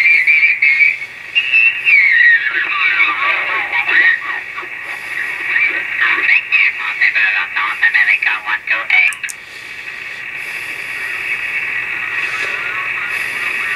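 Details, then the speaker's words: Yaesu FT-101E transceiver with the clarifier switched on: SSB voice turns to a warbling, whistly garble as it goes off frequency, showing transmit and receive frequencies misaligned; receiver off frequency, before alignment. "so that tells me right there that the transmitter and receiver not aligned correctly"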